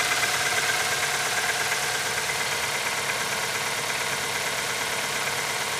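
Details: Nissan QG18DE engine on a cold start at -15°C: a steady, fairly even knock, about two per second, over the idle. Cause unknown.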